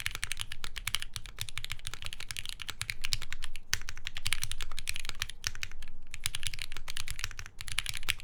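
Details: Monokei Hiro SE keyboard with polycarbonate plate, Cherry MX Black switches (lubed, 65g springs, TX films) and lubed Durock stabilizers: fast, even clacks; added sheet removes the spacebar's metallic ping, so it sounds normal.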